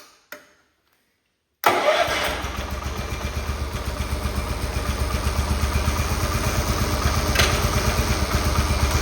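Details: Cub Cadet 1211 lawn tractor after a Cyclops 30mm transmission replacement, running during the creep cam adjustment: after a short crank it fires and settles into a steady, even putter of about three beats a second, sounding healthy.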